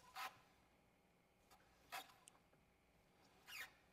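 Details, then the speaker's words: 2024 Tesla Model 3 Performance front hub with a 20-inch Warp wheel on almost 10 mm of spacers, turning: short scraping rasp about every two seconds, rubbing once per revolution, possibly on a zip tie; wheel does not clear. "did you hear that let's find out what that is it sounds like it's hitting the zip tie but I'm not sure either way must be real close"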